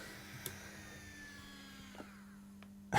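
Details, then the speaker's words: Accurascale Class 50 model locomotive running at higher speed. A steady, low vacuum-cleaner-like whir is its cooling fan, living up to the loco's Hoover nickname; normal operation. "And the noise, by the way, is the fan."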